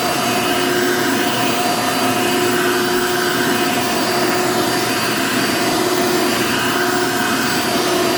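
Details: Genuine Hoover vacuum, reasonably cared for, 99.9% microfiltration: steady even high-pitched rush, constant whine, no surging or rattles; motor healthy, needs only cleaning and a belt, likely stretched, brush roll dragging on carpet.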